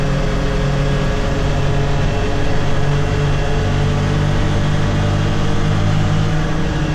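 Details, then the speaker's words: 2022 Can-Am Defender HD9 DPS cab with factory heater, after foam weather stripping fixed the loose heater core; steady low engine drone pulling through 30-45 mph, no dash rattle, faint tingy sound. "So, that that was a lot better. I heard this little tingy sound after, but I never noticed that before. Probably cuz that was rattling too much."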